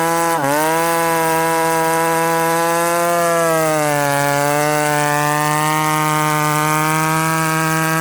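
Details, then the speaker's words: Ported McCulloch Super Pro 70 (70cc) chainsaw, retested after winter port work: clean high-pitched scream holding at top revs with slight dip and recovery; normal high-rpm running. "hey friends did you hear that wicked rpm"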